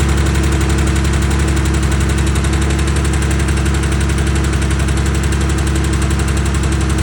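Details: Porsche 911 with 2.4 MFI air-cooled engine at idle: even idle with a light, regular tapping of about three per second over the exhaust; top-end tick, cause unknown.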